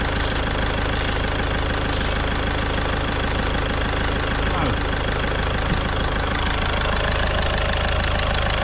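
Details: Caddy diesel after a week-long repair in which a stuck injector was removed with a slide-hammer puller kit: even, steady idle clatter with no misses or knocks over some background noise, nice and quiet. Normal idle.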